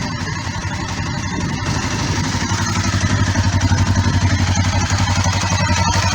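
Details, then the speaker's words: Kawasaki ER5 twin after oil, filter, air filter, spark plug and cap service: steady, even idle, regular low beat, no knocks or rattles; running as it should judging by the new plugs. "so Joe car I think she sounds like she's running as she should um [Music] at least from the Sun plug which is good"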